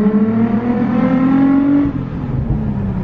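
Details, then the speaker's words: Nissan 350z test drive: loud, raw exhaust note climbs cleanly through the revs, shifts around two seconds, no bogging or stumble; accelerates normally, though a strong coolant smell is noted. "it ran good no bogging out or anything like that"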